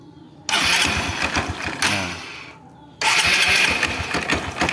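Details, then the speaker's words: Engine starts and idles with the clutch cover opened: rapid, uneven "dek dek dek" knocking near idle speed, louder when closed; excessive play from worn clutch damper rubbers that need replacing, though the clutch itself still engages smoothly. "Nanti suara ini kencang, dek dek dek dek dek dek, udah matiin dikit ya. Oke, nah ini oblaknya udah kelewat banyak."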